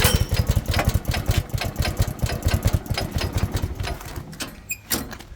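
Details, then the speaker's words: Pull-started small engine on a barn-find offroad buggy with centrifugal clutch and chain/belt drive, fuel on and choke on: rapid uneven chuffing bursts that fire briefly then fade without catching; hard starting. "There we go. Doesn't really want to start. Let's have a go again. Try again."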